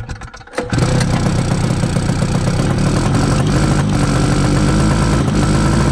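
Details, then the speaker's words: 1972 Arctic Cat Panther 340 two-stroke snowmobile, run with less choke after possible flooding: it catches but the beat is uneven and revs wander and stumble. Fuel delivery problem suspected: carb, fuel filter, low tank or an air leak. "We're having fuel delivery problems. It might have something to do with the carb or the fuel filter, or that the tank might be low on fuel."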